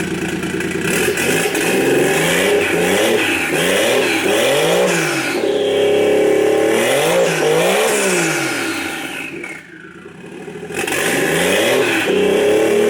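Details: 1JZ-swapped Nissan 240SX S14 with JZX100 ECU, throttle body and harness, idle air valve capped: engine revs up and drops back cleanly several times, smooth with no stumble or hiss; runs healthy.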